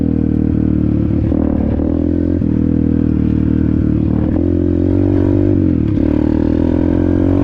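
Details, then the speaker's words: Apollo RFZ 125 X18 pit bike with a new Nibbi PE22 22 mm carburetor, stock jets and only briefly adjusted. Revs rise and fall cleanly as the throttle opens with no popping or stumbling, and it pulls strongly. "Woo! Wow! Wow. Woke it right up. Unbelievable."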